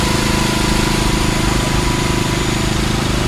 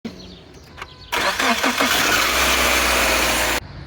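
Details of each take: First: Subaru Outback after starter replacement (factory 1.2 kW 23300AA710 swapped for 1.4 kW 23300AA570) to cure grinding on start; first start after throttle relearn: engine catches quickly, steady even idle, no starter grinding; normal start and idle. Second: Subaru Outback factory starter 23300AA710 (1.2 kW): a harsh scraping grind of about 2.5 seconds, only while cranking, that cuts off cleanly. Cause is a worn starter bushing (23319AA030) and brushes (23330AA050); it was replaced with a 1.4 kW starter, 23300AA570.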